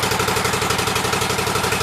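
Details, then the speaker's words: Cub Cadet 1884 twin with the shroud on and the air filter off: quick, even firing pulses on both cylinders with no misses, so it is running normally. "Make sure it runs on both sides. So, here we go. seems like it's running good."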